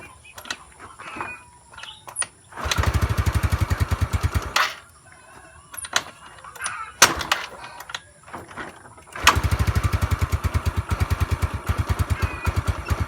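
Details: Mio Sporty scooter hard start: two bursts of fast starter cranking, about three chugs a second, and the engine never catches.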